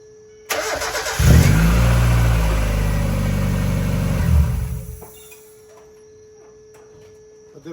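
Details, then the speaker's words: Mazda Miata after alternator work, start-up test with the accessory belt refitted before the brace goes back on: the engine cranks briefly, catches and settles into a steady idle with no belt squeak, a normal start. "The alternator came out amazing. No more squeaking."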